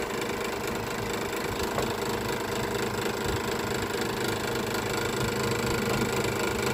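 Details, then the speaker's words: Electric scroll saw after a fix so the workpiece no longer slams against the steel plate: a steady motor buzz with even blade strokes and no banging while cutting wood, so only motor noise remains. "โอเคตัวนะครับแทบจะไม่ได้ยินเสียงอ่าตัวไม้กระทบกับแผ่นเหล็กเลยแต่มันจะไม่ได้ยินเสียงดังเลยนะครับอ่าจ๋าได้ยินแค่เสียงเครื่องนะครับ"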